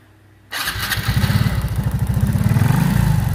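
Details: Honda RSX Fi motorcycle, after fixing severe hesitation traced to a failed ignition coil: catches at once and settles into a quick, firm beat of about three pulses a second without stumbling; clean, healthy start.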